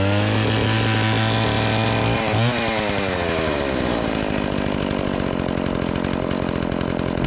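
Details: Dolmar 112 two-stroke chainsaw, revived with fresh fuel and a sharpened chain, started cold and cutting wood: settles into a steady high buzz, then bogs evenly into the cut. Strong, clean running under load.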